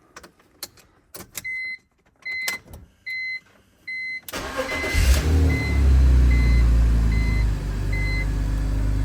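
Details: BMW E46 325xi M54 after its EWS module was swapped with the VIN data copied over, fixing the crank-no-start and endless ignition beeping: dash chimes beep, then it cranks briefly, catches cleanly and settles into a steady idle.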